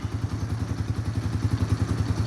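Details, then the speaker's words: Just-bought 2,500-mile ATV idling after a slow cold warm-up: an even low putter at about seven pulses a second with no misses or knocks; runs perfect, though the owner says the idle is too low. "But she does idle really good and runs now perfect, which is awesome."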